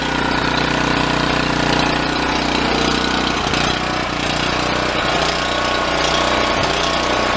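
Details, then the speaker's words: Yamaha EF4600A generator revived after sitting idle for years: loud engine with choppy, uneven hunting beat about three a second; fuel starvation, found to be an air leak in the fuel line. "that definitely sounds like a fuel issue got gas in there see if I can work that out"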